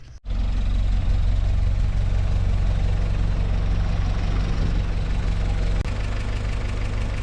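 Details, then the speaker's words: 1955 Willys CJ5 Jeep four-cylinder after new gaskets and a new full exhaust system with a shortened muffler tube: a steady, even idle with a deep exhaust rumble and no ticking or leak puffing; normal idle. "Everything looks really good. Sounds good, too."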